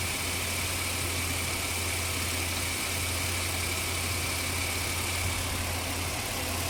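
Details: 2004 Ford Explorer engine running: steady hum with unevenness under a loud hiss, rough idle; worn spark plug wires, possibly bad alternator/voltage regulator or diodes suspected, cause not confirmed.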